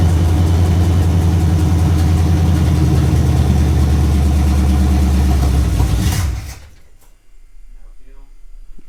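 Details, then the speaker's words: Camaro Z28, 355 V8/TH350, open headers, first start after sitting all winter: rumbles at fast idle about six seconds then dies; little fuel reaching filter, runs only on fuel poured into carburetor, fuel pump suspected weak. "all right hold on i look like we're getting much fuel up here in the filter just keeps running off of whatever we're pouring down"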